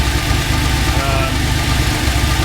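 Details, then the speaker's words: TVR Tuscan after fixing the throttle cable and balancing the throttle bodies: a fast, light ticking keeps time with engine speed over the idle, seemingly from the middle of the engine, source unconfirmed. It otherwise runs well; removing the head in the car is planned. "Um, there's something not quite right and it definitely sounds like it's in the middle. Bugger."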